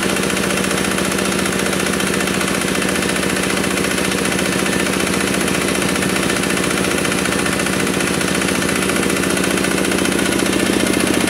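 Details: Kubota RD65DIS single-cylinder diesel after cylinder head service, exhaust fitted, driving a soil/clay grinder for brickmaking: steady thump about three beats a second under load with faint rough gear rasp on top; smoke gone, combustion fine, worn engine gears.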